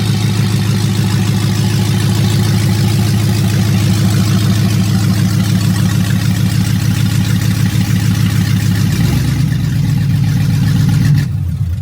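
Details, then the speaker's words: Dodge Hellcat Magnum (supercharged V8) first start after TCM fix, new fuel line and coolant reservoir; open headers, no exhaust fitted. Loud, lumpy idle stays steady, then a light rev rise; clean, even firing, no knocks; normal idle and rev. "she now runs and she will drive once well she does drive but um I don't have an exhaust on there it's just open headers"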